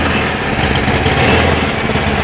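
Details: Cub Cadet 1030E snowblower, 10 hp electric-start engine, thought to be in neutral, carb needs cleaning: small single-cylinder engine at steady fast clip, smooth and even, no knocks or rattles; normal running.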